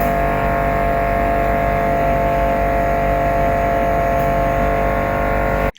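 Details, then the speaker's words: Very loud household refrigerator: steady whirring drone with several fixed tones that cuts off at the end, from the evaporator fan striking built-up ice; fixed by emptying it and letting it warm to room temperature for about seven hours, after which it ran quiet. "this is our refrigerator and it is very very loud here take a listen"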